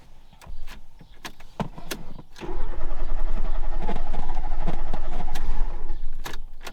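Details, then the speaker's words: 1991 Fiat Panda 4x4 on a road trip from Portugal: a few clicks, then about three seconds of even cranking that never catches after it stalled; no choke, owner suspects the carburettor being adjusted to a lean mixture. "aaaargh, why won't he start?"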